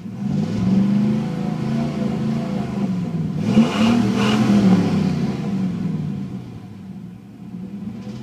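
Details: 1996 Chevrolet Silverado K1500 Vortec 5.0 V8: revving then settling with deep uneven rod knock rising with rpm, getting progressively worse; metal shavings in oil; reman engine ordered.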